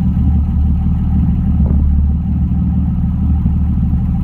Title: M3 not perfect idle sound